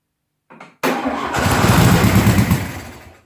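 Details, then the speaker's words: 1972 VW Beetle 1200 engine, idle for about 20 years, on a stand: short crank, catches and runs ragged two seconds then dies; not drawing fuel from the carburetor, likely clogged, fuel starvation. "yeah it's not drawing fuel from the curb hold the choke closed see if that helps"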